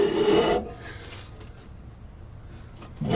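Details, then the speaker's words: MTD twin-cylinder ride-on mower, parked outside five years: blade spindle spun by hand, nearly seized, gives a dry rasping grind in short bursts then goes quiet; very dry blade spindle bearings. "it's pretty much seized though oh that's moving not very freely there we go it's spinning now very dry bearings"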